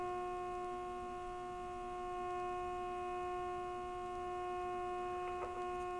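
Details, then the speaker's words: RCA 262 tube radio on the bench after replacing a burnt 1K resistor, during IF alignment for loudest output with an injected modulated tone: a steady pure tone with faint hum from the speaker, briefly sounding weird while adjusting. "To get the loudest sound. Whoops. That sounded weird."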